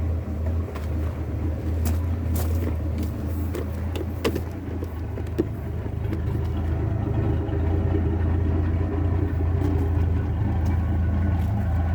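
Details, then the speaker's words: 1981 Ford Mustang with 200 inline-six, T5 manual, new HEI distributor, at startup and idle: rough uneven low beat with occasional stumbles, a miss on one cylinder; cause unconfirmed. "meanwhile let's get a little startup of the car and you'll be able to hear that bit of a miss"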